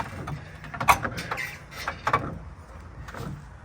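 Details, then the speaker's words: Newly installed spare tire hoist cranked by hand: smooth, regular ratcheting clicks in short bursts with no binding or grinding. Normal spare tire hoist operation. "And you just turn your crank like so. And this is how it's supposed to work."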